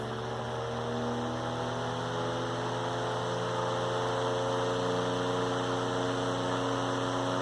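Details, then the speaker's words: Antique General Electric fan, believed early 1930s or 40s, on high speed: steady even motor hum, soft blade whir, no ticks or rubbing; normal. "very nice. Almost like a vintage airplane motor. Very, very solid engine for its time."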